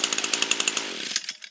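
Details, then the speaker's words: Echo string trimmer with a no-start condition, run on mid choke after priming: crisp, rapid two-stroke buzz at steady speed, then revs fall away at shutoff; normal running, cause was a dirty/fouled spark plug, oil leak noted. "Looks like it was a dirty plug. How sad is that?"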